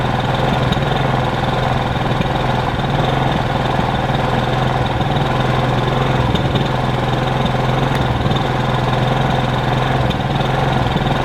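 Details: Kipor Sinemaster IG2600 digital generator, about 2 kW, started after sitting years in a garage: even, steady low hum with a constant note and no misses or surges; running normally.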